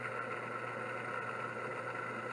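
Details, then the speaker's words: Older voice-coil hard drive, secondhand, powered up: steady high whine with a low hum underneath, even and unchanging; spindle whine, owner suspects shot, dry bearings and may try oiling them. "will it clunk if I turn it off kind of sounds like it those bearings are shot though maybe maybe I can oil them a little bit"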